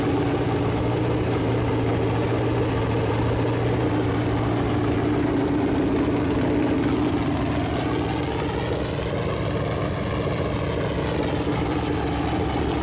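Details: Freshly built Chevy Performance 454 big-block V8 on a run-in stand, first start, temp around 190, good oil pressure: smooth even idle, pitch climbs cleanly on revs, no knocks or misses; normal idle and revving.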